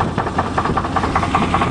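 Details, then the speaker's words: 1988 Chevy truck on test drive, owner says bad crank: rough idle with hollow repeating knock about every fifth of a second over engine note; owner says it sounds sick, suspected crankshaft wear. "You can't kill a Saturn. Ugh. Oh, that sounds kind of sick."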